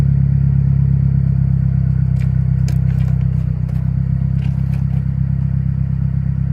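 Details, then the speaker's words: Stock 2009 Mazdaspeed3, parked about two years, after new spark plugs: steady, smooth idle, a little high, with no knock or ticking. A popping noise at startup is a separate issue. "idling a little high that sounds way better yeah there was no knocking at idle"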